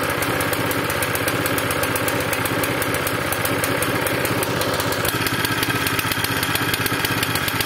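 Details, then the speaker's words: Zipper plate compactor that starts, runs, then dies, smokes and lacks power, run with very little fuel. A loud, ragged, uneven misfiring beat; cleaning the tank and carburetor and adding fresh fuel are planned as the suspected fix. "takie są objawy Moi drodzy Co myślicie co może być przyczyną takiej sytuacji ja zajmę się gaźnikiem wyczyszczę zbiornik wyczyszczę gaźnik"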